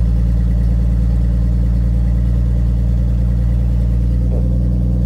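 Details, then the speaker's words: 1982 Ford F150 idling after a cold start on a 43°F February day; a loud, rough low idle with deep chuffing at the manifold because the exhaust is broken just past the manifold: exhaust leak. "it's pretty loud in here the exhaust is broken right after the manifold"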